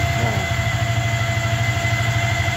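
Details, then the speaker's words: Yamaha Vixion, long unused, ignition switched on without starting: steady pulsing buzz with a fixed tone and thin high whine that comes and goes; odd noise, mechanic likens it to a fuel pump, source unclear. "langsung bunyi guys enggak usah pakai starter guys ya Nah ini suaranya itu kayak gini ya Nah suaranya aneh guys kayak suara plam Bereng terus kayakill water pump sini tapi hilang kambu lagi"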